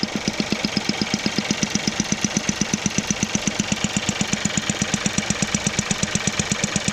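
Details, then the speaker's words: Seat Leon FR petrol engine at idle, reported for a squeaking belt noise: fast, even pulsing puffs in time with the engine, a weird pumping noise. Traced to the fuel evap pipe, its clip broken. "that's a weird noise I feel you it's like the humping"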